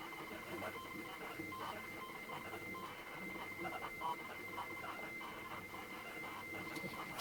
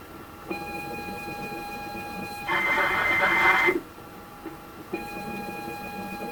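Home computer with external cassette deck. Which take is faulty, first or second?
second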